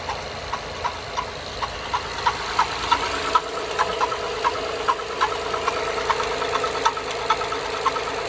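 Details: 2011 Acura TL 3.7 SH-AWD at cold idle: steady sharp light top-end tick about twice per second, less noticeable once warmed up; dealer could not determine the cause.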